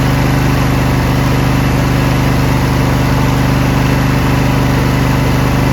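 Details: Briggs Intek V-twin on a Craftsman LT1000, after the sump gasket repair and an added governor spring, with fresh SAE 30 oil and no leaks: an even, steady beat at constant speed with no rise and fall. Surging is cured.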